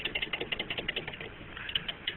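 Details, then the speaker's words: RCGF 50cc "b" gas engine, about 2.5–3 years old, running with a light, fast, uneven sewing-machine clatter; crankshaft shows excess side-to-side and up-and-down play with slight bearing glitter: worn rod journal/bearing, needs new crankshaft. "now my crankshaft being that it sounds like a sewing machine um I have a lot more than normal side to side play"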